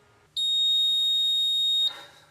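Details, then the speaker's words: Fire alarm panel beeping: a single steady high-pitched beep of about a second and a half, a trouble tone for battery trouble. A panel beeps for one of three reasons: a fire alarm, a supervisory signal, or a trouble within the system. "there are three different reasons why that fire alarm panel might be beeping one is a fire alarm two is a supervisory and three is a common trouble a trouble within the system"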